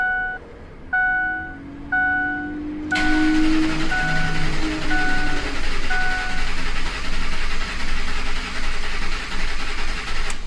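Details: 2004 Ford F-150 4.6L V8 4x4 with a new transmission a week earlier now rattles, stalls and idles rough; cranking shows a lopsided, uneven beat, some compression strokes stronger than others, from a jumped timing chain.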